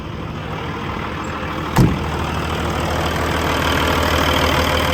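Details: 2012 Peterbilt 386, Paccar MX13 diesel, 1.2 million miles, idling with the oil filler cap off to check blow-by: steady, even idle with one brief early thump, no knocks or misses; healthy engine with impressive longevity.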